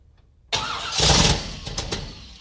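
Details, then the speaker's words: Brand-new, never-fired GM ZZ4 small block in a Camaro with an Edelbrock Performer RPM manifold, 600 CFM carb, Sanderson headers and a Mallory distributor: a short crank with no firing yet, needing priming and timing; it later starts. "Remember, this is a new engine. It's never been fired, so it's going to take a little bit of priming and a little bit of timing to wake it up."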